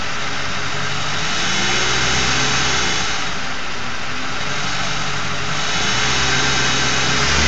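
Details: Ford 4.6 V8 with failed Prime Guard oil filter anti-drainback valve: faint steady buzz over idle swelling slightly as revs rise; a replacement filter of the same brand buzzed too, torque converter or transmission front pump also suspected.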